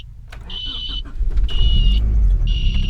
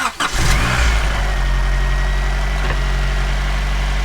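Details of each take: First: 1990 Honda Prelude idling after a new alternator, battery and belts. A high squeal about once a second over the idle, each lasting half a second. A belt squeak, source not yet pinned down; the tensioner is ruled out. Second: 1990 Honda Prelude after swapping to a non-AC belt to cure a squeak suspected from the AC compressor. Cranks, catches quickly and settles into a steady, smooth idle with no squeak. It runs normally.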